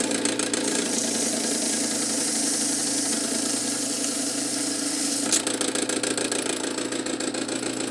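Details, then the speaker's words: Cool Breeze 16" oscillating desk fan EB24616 motor hums under a loose, uneven knocking rattle from both front and back; pressing the shaft against the bearing quiets it, so severely worn motor bearings. "see if I if I apply a pressure to it to keep it up against the bearing it's it's much quieter so unfortunately this is a bearings problem and it's pretty severe"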